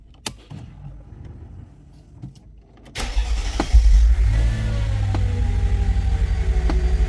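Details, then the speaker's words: 2003 Mercedes CLK 500 W209 with M113 engine that needs about 20 seconds of cranking to start, during a fuel pressure check: a few clicks, then it catches and runs with a lumpy, unsteady rumble; erratic running, fuel delivery suspected. "yes it's running now but it's very inconsistent it sometimes runs and it sometimes it doesn't"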